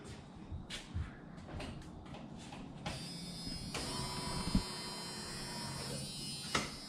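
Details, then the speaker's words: C10 truck with LS swap, first start attempt with no coolant, key cycled to prime before cranking: quiet clicks, then a steady high electric buzz holding a few seconds; fuel pump priming normally. "Prime the fuel pump a few times. See if we can get some fuel all the way up."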